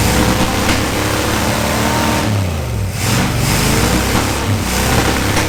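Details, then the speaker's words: 1977 Dodge Monaco 360 V8 parked 32 years, started after a poor compression test and hammering on the stuck valves; rough uneven running with surging revs and stumbling beat; low compression and stuck valve, vacuum leak possible. "Did a compression test, and it's not good."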